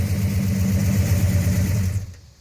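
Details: Dad's 1968 Hemi Charger, battery reconnected, started and blipped: deep, lumpy V8 burble swelling smoothly and settling cleanly with no knocks or misses; normal healthy Hemi start and rev.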